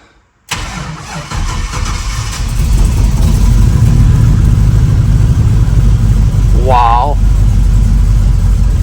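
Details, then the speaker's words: Project truck engine after the fuel lines were flushed with the fuel rail disconnected and the battery reconnected; quick crank, catches at once, revs flare then settle to a steady even idle with no miss, the best it has sounded. "That is the best it has sounded yet. Have a winner. It's idling"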